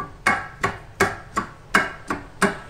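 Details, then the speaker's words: 2006/2007 Ford Fiesta sedan front wheel bearing worked by hand in removed steering knuckle: sharp metallic knocks about three a second, car knocks like a hammer when moving off and reversing; bearing shifts in worn, deformed knuckle bore. "e agora você imagina esse barulho no carro faz um barulho bem forte umas horas como se fosse um martelo batendo tá"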